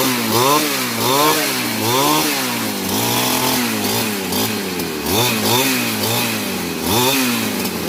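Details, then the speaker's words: Grass cutter (small two-stroke, gasoline) that would not start despite fuel and spark; after the carburetor was primed with gasoline and the unit taken apart, it revs up and down smoothly with each throttle blip, no stumbling: running normally. "Okay na mga lods. Bandar na. Gagawin na."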